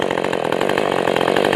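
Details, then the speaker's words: Ported Husqvarna 450 Rancher chainsaw with Bryce's cylinder, tuned after hard starting, low jet turned back in: crisp two-stroke howl held steady at full no-load revs, about 12,900 rpm; healthy high-rpm run. "but that I turned it back in since trying to get it to start initially was really difficult but now it runs good let's see RPM"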